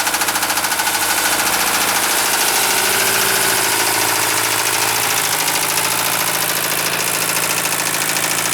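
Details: 1973 Mercedes 220D diesel idling: heavy, steady knock about three times a second over the diesel clatter; deep bottom-end knock, rod knock suspected, not confirmed.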